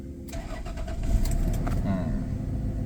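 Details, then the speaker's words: Mercedes-Benz W124 with Toyota JZ distributor engine, previously no-start with no spark, after replacing water-damaged ECU: brief crank, catches first turn and settles into a steady, even idle; normal start. "ตึ้มเดียวติดเรียบร้อยลองเร่งดูก็ตามนี้นะเปลี่ยนกล่องใหม่นะครับกล่องน้ำเข้านะรุ่นงี้"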